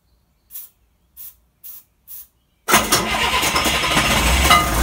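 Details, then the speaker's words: DT360 diesel in a dually build, no glow plugs, test-run with assisted fuel feed; four short cranking bursts, then catches and settles into a steady, even rumble without knocks or misses; sounds healthy though an oil issue remains. "as you can see she sounds healthy but I gotta find out what that oil is that oil issue it's there"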